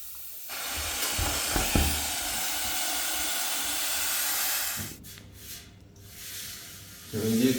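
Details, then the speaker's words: Newly installed wall-mounted vertical radiator, after pressurizing the heating system: a loud steady hiss for about four seconds, then it drops off, as trapped air vents through the bleed valve. "Big radiator, loads of trapped air. You probably can hear the hissing noise."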